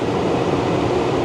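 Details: 2013 Tesla Model S P85 climate blower on automatic at 70 degrees after blower resistor and DC/DC converter replacement: smooth, steady rush of air with no whine, rattle or pulsing; blower runs evenly and healthy.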